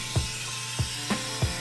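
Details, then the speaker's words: Well outside the house: dull thumps roughly every third of a second over a steady hum, an irregular knock from the well; cause unknown, to be opened up and checked. "so I just came outside to have a look go to work on the car now you hear this noise coming from the well"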